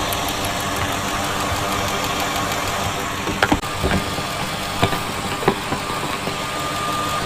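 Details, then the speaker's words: 2000 Ford F-250 SD 5.4 L (330 CI), rough intermittent idle and miss, injectors with 260,000 miles: fast even ticking of a fuel injector over the running engine; all injectors sound similar and work, though one is suspected clogged. "Okay, so all of the injectors do sound similar. You can hear a distinct ticking."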